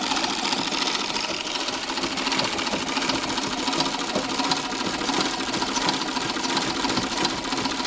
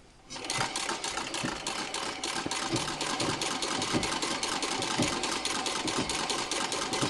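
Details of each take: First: Treadle sewing machine after repacking Pitman rod upper ball bearings with Vaseline to cure clunking: soft, even whirring with no metal-on-metal clatter; much quieter, bearings running smooth. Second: Treadle sewing machine from around the 1900s, dry Pitman rod ball bearings hitting the flywheel axle, partly repacked with Vaseline and turned by hand: rapid even clatter with soft knocks each turn. Still clunking, but nowhere near as loud.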